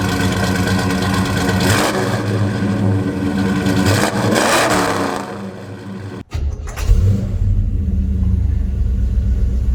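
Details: 1972 Chevelle Malibu 383 V8 after fitting Doug's 1 5/8 x 3" headers and Flowmaster 2.5" H-pipe exhaust: loud, deep choppy rumble pulling up through revs then settling; louder inside and out, deeper tone; normal running.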